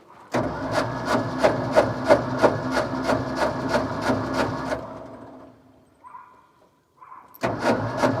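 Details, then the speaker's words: Ford F600 ex-U-Haul truck, 359 FT engine freed after sitting locked up for 20 years, first start attempt: steady starter cranking at about three beats a second for four seconds. It turns over but never catches. "The motor turns over. Next thing is to put the new spark plugs in it."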